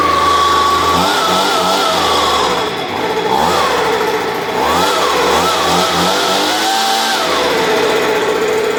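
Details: Stihl BG86 blower started from a flooded condition, throttle opened; it revs unevenly, surging and sagging, blubbery and rough. Carburetor diaphragm suspected, with another fault possible and a loose exhaust found earlier. Rough running after flooding.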